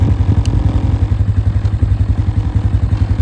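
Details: 2008 Polaris Scrambler 500 HO 4x4 ATV: steady even single-cylinder thumping idle about 220 pulses a minute, no misses or stumbles; owner says it idles all day. Normal idle.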